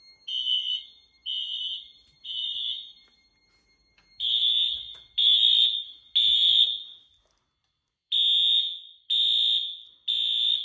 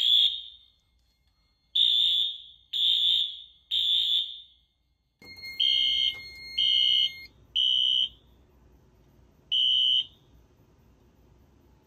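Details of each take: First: 2000s Wheelock AS horn on a Fire-Lite MS-9200UDLS panel running on battery with AC unplugged: sharp high blasts about once a second, each a clean steady pitch with no wobble; the horn sounds right. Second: 2000s Wheelock AS horn on a Fire-Lite MS-9200UDLS system: horn blasts repeat with a wavering, warbling tone from the rough AC power.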